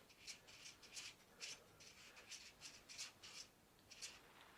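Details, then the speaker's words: Gazelle Speciaal bicycle being scrapped for parts: the pressed-in bottom bracket is turned by hand. A soft, rhythmic scraping rasp about twice a second as it rubs a loose plastic cover; the owner thinks the cartridge is still okay. "It sounds like it is rubbing against this plastic cover. Well that's loose."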